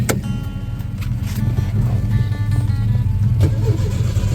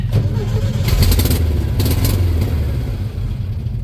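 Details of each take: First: Old VW Beetle with a remanufactured crate engine, ignition and carburetor, on jumper cables: an even healthy starter churn as it cranks freely. Customer reports it runs, then bogs and dies; a fuel supply issue is suspected. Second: Old VW Beetle with remanufactured crate engine, ignition and carburetor; customer reports it runs then bogs and dies. On starting fluid it catches briefly with rough, uneven firing then dies; fuel line or pump fault suspected, ignition doubted.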